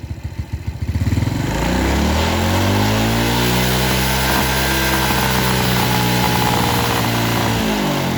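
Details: Suzuki Smash New carbureted motorcycle with very high fuel consumption, during carb air-screw and idle adjustment. Throttle eased slowly up to a smooth, clean high rev without misfires, then drops back crisply.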